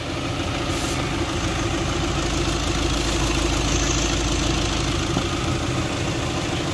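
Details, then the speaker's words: Volkswagen Ameo automatic after gearbox repair for a cutting noise at engine start and while driving; restarted engine settles into a smooth, even idle with a steady low hum, no cutting or clunking. Normal sound now. "ना अभी इसका normal आवाज हो गया है"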